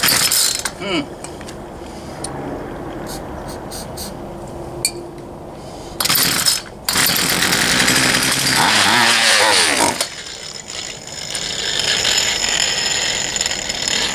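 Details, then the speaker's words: Poulan Pro 222 38cc chainsaw that wouldn't start, fuel return line found missing and lines misrouted: repeated pull-cord rasps with brief sputters that die at once; it wants to run but won't keep going, a suspected carburetor fuel delivery problem. "I believe we still have a carburetor field delivery [Music] issue"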